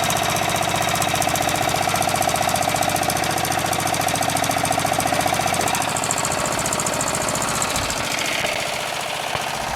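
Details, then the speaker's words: Murray Select lawn tractor single-cylinder engine on a chilly day, after muffler weld repair, idling: rapid, steady popping that settles without stalling or surging; normal idle, though still smoking (owner wonders about pistons); charging 13 volts. "you know what I'm not gonna mess with it sounds great right I was just about to mess with it I'm like why it's fine"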